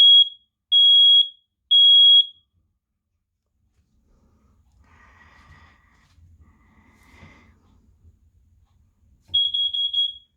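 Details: New Kidde smoke/carbon monoxide detector, replacing 12-year-old FireX units, on test: loud shrill beeps around 3.3 kHz in bursts of three, a pause, then repeating, with other chirping in the background; sounding normally.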